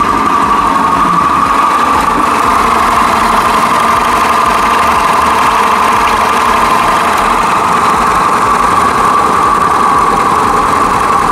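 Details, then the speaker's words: Italika WS-150 motorcycle brought in not starting; now starts but runs with a harsh, rattly drone and rough mid-pitched hum. Crankshaft main bearing noise. "ahora entonces tenemos situación de que se arranca pero sigue sumando horrible"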